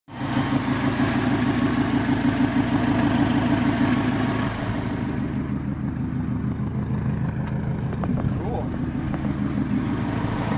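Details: Subaru WRX during tuning, turbo lagging about 1000 rpm later than it should: steady throbbing engine with puffing, pulsing chuff on each firing stroke; exhaust leak confirmed, boost leak also suspected.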